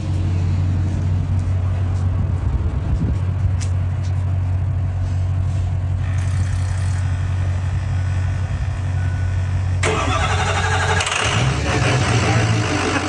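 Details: Freshly rebuilt diesel truck with RCD stage 2 short block, RCD Thumper 1, aluminum H-Pop conversion and high-output Adrenaline pump, first fire-up: deep, steady rumble holding an even beat, then the note shifts as it is revved; running healthy.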